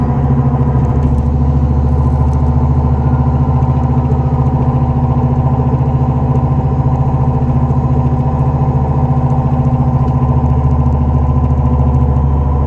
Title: 2004 neon srt4 bad wheel bearing noise